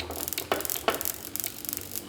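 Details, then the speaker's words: Vintage Allen hand-crank coil tester on a Ford Model T magneto setup, 16 coils/16 sparks, new engine for a '26 Coupe: uneven crackling snaps, some doubled, as a slightly weak coil double sparks. "This coil, we set it, it's a little bit weak, so we get a little bit of double sparking and stuff, but we just want to make sure that our new setup makes power at all."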